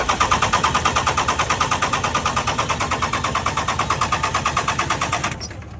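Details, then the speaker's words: First-gen 12-valve Cummins diesel truck, sat outside in winter cold; injector lines cracked to bleed air, steady cranking at about three even compression beats a second, never fires. No-start from air-locked fuel system, cylinders not getting fuel. "oh yeah yeah she was air locked"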